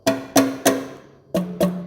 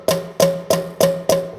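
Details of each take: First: 1935 John Deere BO valve worked by hand (first start in 7 years went badly): six dull wooden thuds with no crisp snap-back; the valve spring has no tension left, a new spring is coming, and the pushrod is bent. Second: 1935 John Deere BO, a previously stuck valve freed and worked by hand: five crisp wooden snaps about a third of a second apart. The valve is closing freely, as it should.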